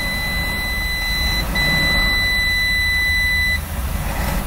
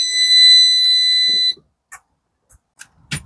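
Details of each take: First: 1967 Travco 220 RV with big block Chrysler, parked since 1988, now running with fuel pump wired up: big engine idles low, quiet and smooth with 50 lb oil pressure while a steady high dash beep sounds, then stops; normal idle with warning beeps. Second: 1967 Travco 220 RV with big-block Chrysler, parked since 1988, at key-on: steady high-pitched buzz for about a second and a half, then silence; dash warning buzzer at key-on.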